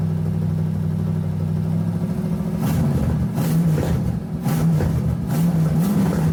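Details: LS-swapped S10 restarted with the belt off to check whether an earlier noise comes from the front drive setup: deep, even rumble with light throttle blips, no ticking or squeal.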